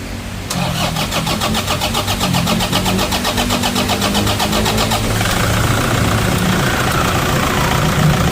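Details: Toyota diesel after valve cover gasket oil leak repair with genuine parts and 7-litre oil change, belt and bearing work; cranks briefly, catches, settles into even idle with steady clatter. Normal start and idle.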